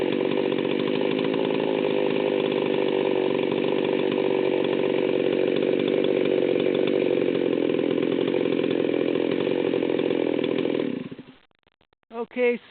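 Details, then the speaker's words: Stihl 038 Magnum chainsaw (late model, see-through tank), fully assembled: the carburetor needles are backed out far too much, giving a rough, over-rich low-speed burble that sags and nearly stalls; idle target is 3,000–3,300 rpm. "had the needles backed out way too far when I started this up and you can see it was pretty much dying right off the bat"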